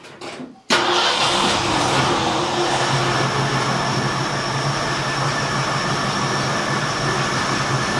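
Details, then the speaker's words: 1972 Ford F100 after carburetor rebuild and new water pump, engine still burning oil: catches and settles into an even, steady, smooth idle with no misses or knocks; timing sounds about spot on. Normal idle. "okay so I just have to adjust the idle on it but man it sounds good it's smooth the timing actually sounds like it's pretty much SP on"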